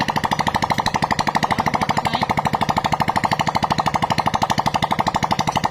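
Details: Freshly assembled Honda Supra-series motorcycle engine, first test run with no exhaust fitted; loud, sharp, even popping at about three per second with a steady rhythm. Normal running.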